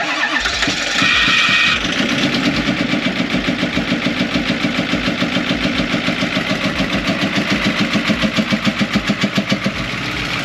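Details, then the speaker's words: Cheap 6.4 Powerstroke diesel truck, first start after fitting new batteries (it previously wouldn't start). It cranks, catches quickly and settles into a steady, even idle knock about three beats a second; the engine sounds healthy. "Oh my god, dude, it kind of runs good. Wait, how's it blow by? Shit, dude. I think this is a good motor."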